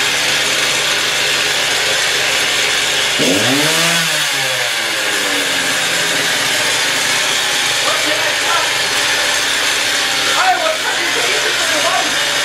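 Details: Stihl TS350 cut-off saw after engine rebuild, fuel freshly mixed, choke off, old blade fitted, already run two hours earlier, warming up; two-stroke revs up cleanly to a high steady scream and settles back without stumbling, normal running.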